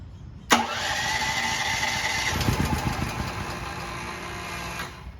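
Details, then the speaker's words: Firman T07573 tri-fuel portable generator switched from propane to gasoline, with little gasoline in the tank (owner suspects not enough fuel): steady cranking at about three beats a second but it never fires; cranks but won't start. "perhaps we just haven't used enough fuel to get this thing going"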